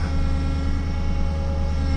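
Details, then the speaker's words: Truck at a cold early-morning start after a snowstorm: steady low hum with a faint wavering drone. First time heard; it seems to occur when returning the steering wheel, and the owner suspects the power steering. "oh what is that sound that doesn't sound very good first time I've had that huh"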